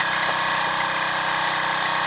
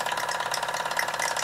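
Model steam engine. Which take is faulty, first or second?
second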